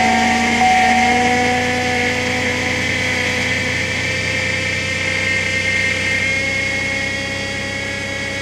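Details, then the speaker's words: Cold start at about zero degrees in windy winter weather: steady high whine over the engine, tone climbing slightly as it settles; owner is pretty sure it is the power steering pump, first time heard, unconfirmed. "here we go pretty sure that was the power steering pump making that wine noise its first time I've ever had though"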